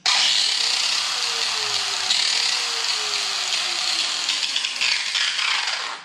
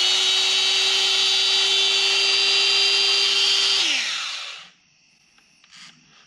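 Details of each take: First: Makita angle grinder, about eight years of hard use: harsh, gritty, high-pitched roar with a rough, uneven edge throughout; worn, stripped gears grinding. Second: Makita angle grinder, after fixing its stripped gears and regreasing: a steady, high, even whir with no rattle or grinding, then a clean spin-down; it has never sounded so smooth.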